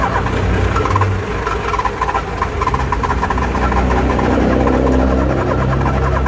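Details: Car engine cranking with a quick uneven tec-tec ticking, about three a second; the engine never fires. Starter clicking, no start.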